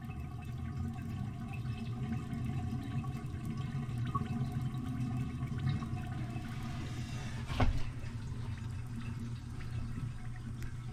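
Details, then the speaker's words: Old toilet before replacement, jets clogged with mineral deposits and fill valve faulty; low, steady hiss of water filling the tank without tapering off; slow tank refill. "This takes a long time to refill."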